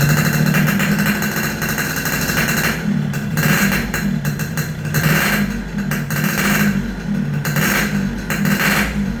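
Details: Yamaha RX King two-stroke after repairs for compression loss (worn right crankshaft seal and O-ring, resurfaced block, fixed head leak), test start while tuning air screw: crisp idle buzz, revving up and dropping back cleanly in repeated blips; runs normally.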